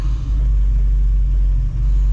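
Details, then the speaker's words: 1971 Ford Mustang 351 Cleveland V8 with big camshaft, long-tube headers and open exhaust, Edelbrock carb after tuning, on road in gear: deep even rumble idling down to 650 rpm, no lunging against the converter; normal in-gear idle. "you hear it just kind of idles down in gear to 650 and gear it's real happy doesn't lunge against the converter anymore"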